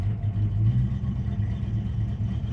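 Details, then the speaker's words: 1969 Dodge Dart GT revived after nearly 12 years, new aftermarket carburetor, in gear testing reverse and forward: deep, lumpy idle with uneven pulses as the choke re-engaged; running rich and loading up, mixture screws need adjusting, weak throttle return spring. "It's trying to move at least warn the chokees engaged again and now it's running super rough."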